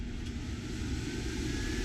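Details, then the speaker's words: Axopar 28 (2019) boat, newly installed aft-cabin air conditioner running off inverter at 13.2 volts, fan-only mode, boat out of water: steady, even airy whoosh over a soft low hum, no rattles, ticks or wobble; blower fan runs normally. "So turn it on. Right now it's in fan only."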